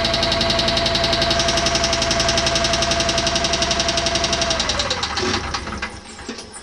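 A steady, sharp tapping of about four knocks per second rides over the running engine, then fades as it winds down; the source is unclear.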